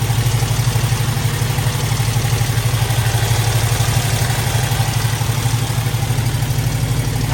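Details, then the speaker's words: Squarebody Chevy at idle: one bank ran smooth after the first fix, but the other bank rattles lightly about three times a second, following engine speed. The cause is a sticking exhaust valve. "Pull this side apart. Sounds a little rattly over here too."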